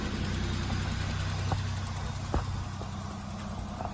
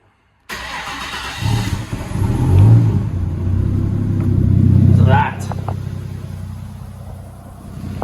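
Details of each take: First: VL Turbo with an RB30 engine starting after the fuel pump primes, with a little throttle: a steady, low idle with a slightly raspy note from a known exhaust leak (muffler off), plus a couple of soft taps; a normal start. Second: Nissan RB30 turbo in a VL, cold start after sitting overnight: it cranks, fires and revs with a loud raw deep exhaust rumble. The muffler is removed, giving an exhaust leak.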